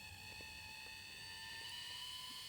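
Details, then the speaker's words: New Dapol 0-4-0 Sentinel model locomotive with a 5-pole motor on its first run, not yet run in: a thin, steady high-pitched whine with several shrill tones over a faint motor hum; gear/motor whine. "I can't believe what a noise is coming from such a tiny model."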